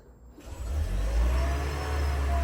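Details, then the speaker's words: Toyota Auris hybrid petrol engine after oil and filter change: quiet start builds into smooth low steady hum, no knocks or rattles, no oil pressure warning light; normal engine start. "So now it's started. Engine sounds good. There's no oil pressure warning lights coming on in here."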